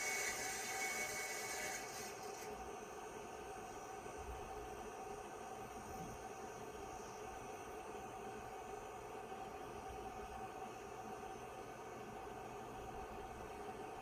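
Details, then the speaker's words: IBM PS/2 Model 25 (8086) 20 MB hard disk grinding like a muffler dragged down the street: a continuous rough scrape over a faint whir that never settles. It fails diagnostic tests while being prepared for formatting and DOS install; judged a dead drive. "see if we can least boot from it even though it sounds like uh somebody's dragging their muffler down the street"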